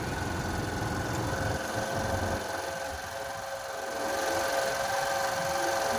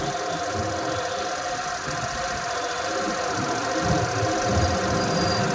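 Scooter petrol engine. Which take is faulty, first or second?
first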